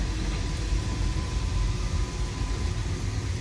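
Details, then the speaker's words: Newly replaced circulating pump on an old heating boiler system, wired to the boiler, with water heard circulating through the pipes: steady, even low hum and rumble, no knocks or rattles; healthy after replacement. "And as you can see, it's running nice and smoothly, and a job well done. I don't know if you can hear the water, but it's circulating through these pipes now."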